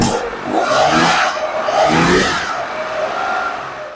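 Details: Engine with freshly rebuilt Zenith 40TIN carburetors, first start after rebuild with fuel primed, before mixture and idle setup. Loud roar surges in and out as it cranks and catches, then holds a rough, steady run.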